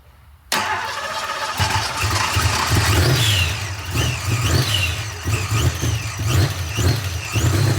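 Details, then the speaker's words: Supercharged V8 on first start after new parts: fires and settles into a lumpy, loping idle with uneven pulses. AFR reads rich, and timing is still uncertain. "I was trying to get the AFR pulled up so I can see cuz it's Rich"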